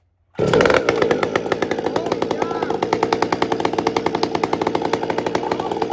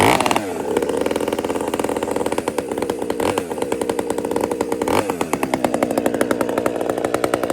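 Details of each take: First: He's got this tuned really nice. He's left me some room at the top. I can feel it. It's got nice whack, but it's fat at the top. You can feel it. You'll hear it. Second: Chainsaw after a major repair, previously hunting at idle: a crisp two-stroke buzz that holds steady and picks up cleanly with the throttle, no hunting or surging; it runs healthy now.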